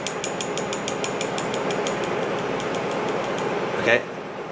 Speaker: you can hear it making that clicking noise so what you want this magnet to this amount right to do this needs to be solid so you'll slowly bring up the sponge list tell you just until you hear the clicking stop